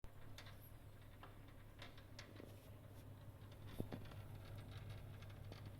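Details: Glow Worm boiler: low steady hum with irregular light ticks and rattles scattered across it.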